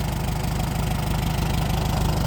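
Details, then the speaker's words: Old tractor petrol engine, parked for years, after closed ignition points were fixed (carburetor first suspected): steady, even low idle thump with no misses, knocks or surging, a little oil burning off; running clean. "Yeah, she's running good. It really didn't take all that much to get it going again."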